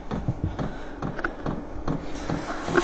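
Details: VEVOR heater on its first start in sub-zero winter weather, still blowing cold air: sharp dry ticks a few per second as the dosing pump primes, normal start-up behaviour that the owner finds loud and hopes will fade.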